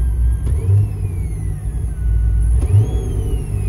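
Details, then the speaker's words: 2008 Corvette Z06 (C6): thin whine from the right-side speakers rising and falling with revs, like a supercharger; owner traced it to the VCIM OnStar module and unplugged it, though the whine returned after two weeks. "there's this little whining noise that you'll get comes from the right side of the car"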